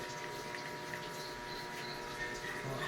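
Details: Automatic washing machine after board repair: steady even rush of filling water with a faint pump hum and nothing rattling; the washer fills normally.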